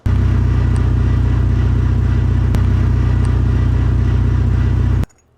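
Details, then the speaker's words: Deep, even growl that rumbles steadily then cuts out from a Mitsubishi Lancer Evolution MR / Ralliart SST DCT470 transmission with worn-smooth T-case coupler and output shaft splines slipping instead of driving; stripped output shaft spline grinding. "So it just runs along, and as you can see with the splines, it'll make like a grrr noise. Here's that sound again."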